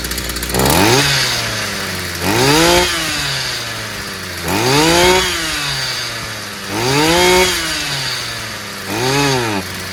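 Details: Stihl FS 55 brushcutter that wouldn't start despite new plug and carburetor, fixed by clearing a clogged exhaust: five crisp throttle blips, each revving cleanly and returning to steady idle; picks up freely, normal.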